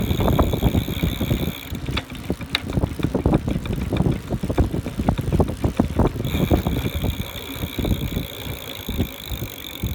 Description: Bought the bike brand new and it's arrived on 5/6. However, just when I pedaled it for the first time, I heard a loud, frequent, irregular knocking sound from the rear motor.